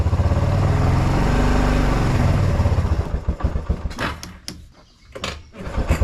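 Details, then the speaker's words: 1996 Kawasaki Bayou 300 4x4, sitting a year, started on starter fluid with full choke: runs steadily a few seconds, then stumbles, misses and surges in ragged bursts, nearly dying; acts out of gas, fuel starvation, owner plans to top off fuel. "Okay, it's acting like it's out of gas. What I'm gonna do is I'm gonna go get some gas and we'll top it off, see if we can get it going."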